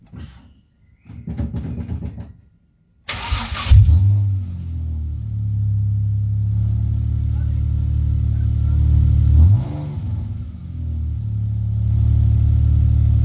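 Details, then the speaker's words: Ford Mondeo after engine bay fusebox harness rebuild, previously not cranking: brief fuel pump prime, then a short crank catches quickly into a steady, even idle; starts and runs fine. "Yeah, you can hear the fuel pump definitely priming up. There you go, guys. That worked."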